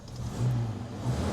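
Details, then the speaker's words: Rover P4 just started with a glass-window spark plug fitted: slow, lazy, low rumble with a faint lumpy beat. Idle is too low and gets raised; the plug then shows the mixture too rich. "Yeah, the idle's quite low. I think I put maybe put the idle up a bit."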